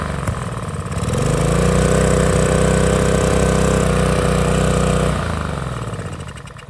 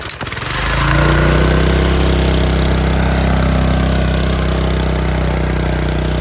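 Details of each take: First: Small-engine pressure washer that revved very high with no throttle control, owner suspected broken governor; after repair it picks up to a steady even drone holding speed without hunting, then winds down smoothly; normal governed running. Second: Small-engine power washer, first start in over a year, choke ineffective: loud flat-out drone climbing fast and holding at screaming speed with no throttle control; engine over-revving, owner suspects broken internal governor.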